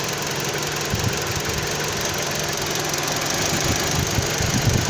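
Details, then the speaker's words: 2009 Dodge Journey with rough idle and overheating: cleaner sprayed around the intake makes the idling engine stumble with uneven thumps and wavering RPM, revealing an intake gasket vacuum leak. "Now it's changing RPMs. Spray it again down in there. So that's a way that you can figure out if you have an intake gasket leak or not."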